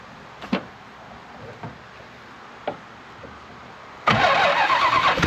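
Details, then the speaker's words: 1968 Plymouth Road Runner with a 440 V8 (tag suggests ~1978 truck/motorhome engine), no headers or manifolds; after starter install and oil pressure confirmed, hot-wired: cranking thumps then a loud, raw crackling open-port roar; starts instantly, run only briefly. "now let put the camera down and we're going to hot wire this Jewel warning this is probably going to be really loud"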